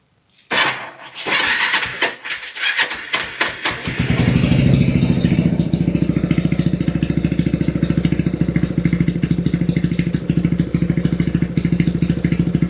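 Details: Kawasaki Binter Merzy after fitting a pilot jet two sizes smaller: a few cranking bursts, catches fast and RPM drops quickly to an even, steady idle, much faster than before; less exhaust smoke, mixture improved.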